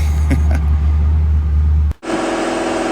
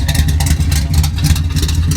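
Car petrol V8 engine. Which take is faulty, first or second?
first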